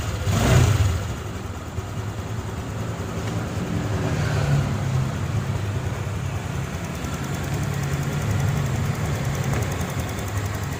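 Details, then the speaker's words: Honda Click 150i scooter, first start after rebuild with new connecting rod, piston, rings, pin, head gasket, original crank bearings: quick blip then low steady putter at idle, no knocking or rattling; healthy. "ได้ยินเสียงหัวฉีดทำงานนะครับเสียงปั๊มติ๊กก็ร้องที่พี่ยึดนะครับ"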